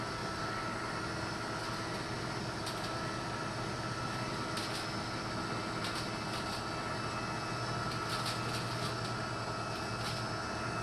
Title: Litter Robot 3 - Popping noises